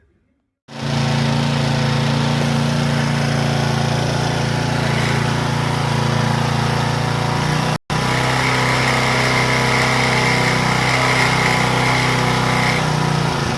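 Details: Power Trim edger after fitting a new Pulsa Jet carb kit: small engine buzzes at a constant high speed with no hunting or surging, holding an even note; runs properly.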